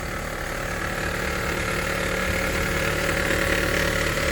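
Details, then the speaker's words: Honda HR-V 1.8 2017 at 120,000 km service: steady engine hum with faint whirring hiss unchanging with idle; worn belt tensioner bearing, old tensioner noisy and leaking oil, replaced with tensioner and belt. "aqui o tensor velho aqui o novo aqui já tem bastante barulho ó e aqui também já vazou o óleo"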